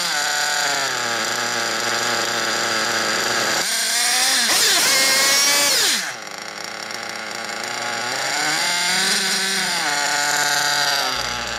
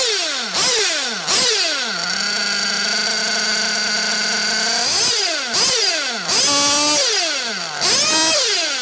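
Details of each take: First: 1/8 nitro buggy engine, fuel line pinched at idle to check low-end needle: high buzzy note rises for about a second then sags as it leans out; bottom-end mixture set correctly, normal idle. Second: 1/8 nitro buggy engine deliberately tuned too lean on the top end: shrill scream climbing fast and holding high, then revs hang and idle runs on because the engine is starved for fuel.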